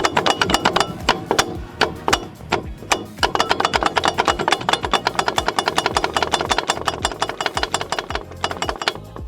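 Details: Front brakes of a car, heard while braking: rapid sharp metallic knocks around eight to ten a second as the brake disc rotates on the hub because its retaining screw is missing.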